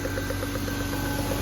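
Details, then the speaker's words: BMW E36 M3 inline-six at idle: light, sharp ticking about eight times a second, traced to above the fifth ignition coil. The owner suspects a loose number-five spark plug moving under combustion pressure. "So I'm suspecting that the fifth spark plug is probably loose, and what's happening is it's because of the pressure from the piston, it's causing that little tick."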